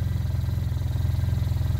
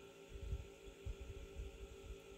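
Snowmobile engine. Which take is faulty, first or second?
second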